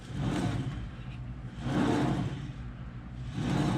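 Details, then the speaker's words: 2010 Chevy Silverado 1500, front wheel raised and spun: rough, gritty rumble swelling and fading, sounds like a worn-out wheel bearing; brake fluid also wetting the caliper. "sure sounds like a bad wheel bearing to me we should probably get the other side up in the air and see what's going on with that but yeah that sounds that sure sounds like a worn out wheel bearing"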